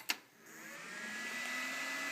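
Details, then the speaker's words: Compaq SR1750NX PC (AMD Athlon 64 3500+, 1GB DDR2, 120GB Western Digital HDD) powered on after refitting the CPU heatsink: soft click, then fans whir up and settle steady, hard drive seeking; normal power-on. "Hey, it works. Sweet. Will it beep? I hear the hard drive seeking around. This thing appears to be working."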